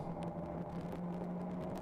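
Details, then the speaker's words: ChampCar endurance race car at Road America, onboard at speed: a steady low harmonic drone under engine and road noise; suspected wheel bearing, possibly driveline related, unconfirmed. "bearing issue yeah kind of a droning noise you can hear it right there [Music] it could be driveline related"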